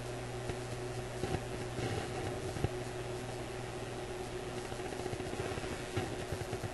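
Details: Graetz Polka 1113E German antique radio on oscilloscope test: steady low hum under hiss with sharp irregular clicks and pops, voltage at the probed point fluctuating; cause not yet confirmed.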